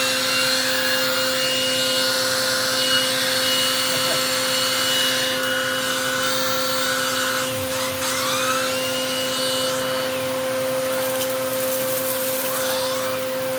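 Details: Eureka The Boss Capture bagless vacuum after repacking two brushroll bearings and replacing the broken belt, testing the power paw brush: smooth constant motor hum with an airy rush, no rattles or surging; runs healthy.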